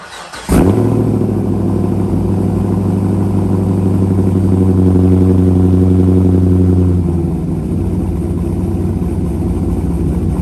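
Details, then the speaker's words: C5 Corvette V8 with newly installed BTR cam, just past break-in and fresh oil change, not yet tuned: sharp start, brief rev, then deep choppy loping idle, even and steady; running normally. "The car's running good. Sounds amazing."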